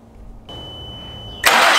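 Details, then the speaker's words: After replacing a coil and spark plug one cylinder at a time to fix a check engine light that comes on in rain: warning chime, then the engine fires at once into a smooth, even idle with no stumble or misfire; normal start and idle. "so the car started and ran fine we know there's nothing wrong with this one"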